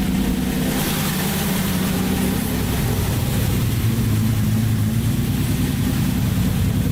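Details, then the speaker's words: Datsun 280Z on first start after an engine rebuild, running a little rich: a steady, even drone held around 2,000 rpm with no knocks or misses; normal running at raised rpm. "that sounds pretty good what was that like 2,000 rpm"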